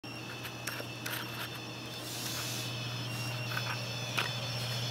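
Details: Corsair AX1200 power supply under PC load, when new: a thin steady high-pitched tone over a low steady hum, coil whine; the PSU was later replaced.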